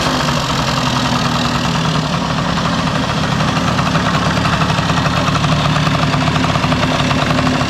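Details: 1971 Yamaha Mini Enduro two-stroke, first start in decades after carburetor cleaning, muffler refitted with washer O-ring; strong even idle with steady buzzing beat, no misfires or sputters. Normal idle.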